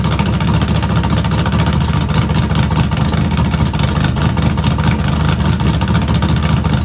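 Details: Small-block V8 Camaro after tune-up with fresh plugs, straight open headers, true cold start after sitting three weeks: loud uneven loping idle with steady deep chop about twice a second; normal big-cam idle.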